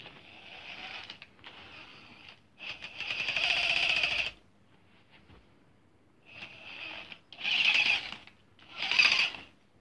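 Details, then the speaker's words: Gmade GS02F Komodo Double Cab RC crawler, short bursts of harsh high-pitched grinding and whirring when the drive strains against resistance; gearbox grinds under load though rebuilt gearbox showed no damage. "But, as soon as you put your arm in the way, it would it wouldn't make it. It would just make this horrible noise."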